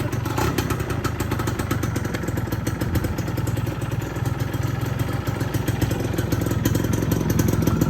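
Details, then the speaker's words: Yamaha F1ZR two-stroke after the crankcase bearing housing, loose from a non-original bearing, was fixed; fast, rattly idle popping along steadily, slightly rough from the non-original alternator, no heavy knock; engine now quiet and healthy. "Ya suaranya udah adem."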